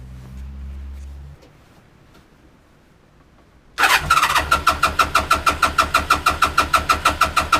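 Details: 34-year-old motorcycle first start after replacing the whole wiring harness with homemade new wires and connectors; brief crank, catches and settles into even idle, about three exhaust pulses a second; starts and idles normally.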